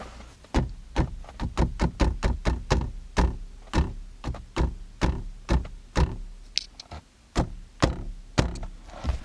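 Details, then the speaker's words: Kia K9 rear (second-row) seat knocked by hand, giving a short hollow rattle from loose frame and wiring contact; owner reports noises over bumps, braking and cornering; rattle later removed. "2열로 가면은 차량 진동으로 인해서 잔향들 섰을 때 끝에 하는 소리가 들릴 거예요 여기도 많이나요"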